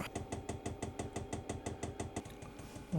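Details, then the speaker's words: Diesel heater in a shed running from a 5-gallon tank after priming, flame icon lit and air turning warm: steady rapid dosing-pump ticking of about six a second, lightly clicking over a low thump. Normal pump ticking. "And actually the clicking now, now that it's primed up and running, the clicking is I do"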